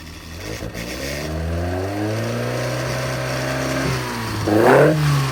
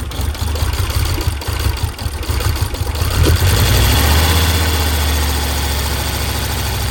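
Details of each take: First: Hot engine revving up and blipping higher with clean even tone, no timing chain clatter, after timing chain tensioner blade modification; runs quiet; normal running. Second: Audi 100 S4 five-cylinder, no radiator or coolant fitted. Uneven, lumpy idle stumbling three or four times a second, one cylinder dead. Owner suspects pumped-up hydraulic lifters holding valves open.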